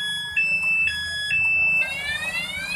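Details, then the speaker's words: Yamaha NMAX with an aftermarket anti-theft alarm armed by remote, ignition tampered: loud chirping siren with stepped high tones, then a rising sweep, the alarm sounding while the starter is disabled. "Apabila dikunci kontak di bobol atau dirusak, anggap saja ini kunci T. Ini alarm bunyi."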